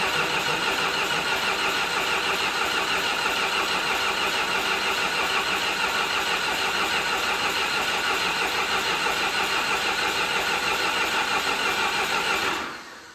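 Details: John Deere 450C bulldozer diesel, sat six months, neutral safety switch jumped: steady cranking at about three beats a second that never catches; crank no start.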